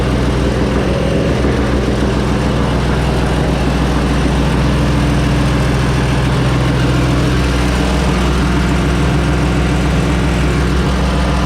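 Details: 1970 Ford Mustang Mach 1 V8 first fire-up after new cam install, cam break-in: heavy lumpy idle with a deep knock around three per second under the exhaust; rod knock from worn bearings.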